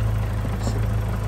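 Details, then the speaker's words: Audi TT converted from its original dual-mass to a single-mass flywheel, at idle: heavy low idle with a loose, clattering rattle under the engine note. Single-mass flywheel rattle; engine otherwise sounds fine. "For those of you that don't know, that is single mass flywheel rattle, okay? Which is why we have a dual mass flywheel on these."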